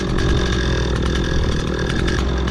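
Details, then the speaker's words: Stihl MS 260 Pro chainsaw, freshly fueled, idling outdoors: steady low two-stroke burble holding an even idle without surging or dying, wind noise behind; previously it idled briefly then stalled, now idles decently. "The whole life that saw never idled decent. Well, I think it's decent now."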